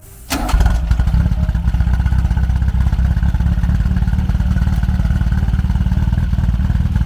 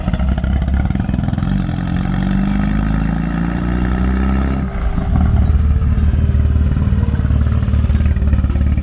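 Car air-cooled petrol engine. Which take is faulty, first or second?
first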